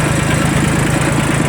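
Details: Kubota L1802 Japanese 18 hp 4WD diesel mini tractor fitted with a 1.5 m rotary tiller: quick, even diesel putter with a steady beat and no knocks or misses. Idles normally.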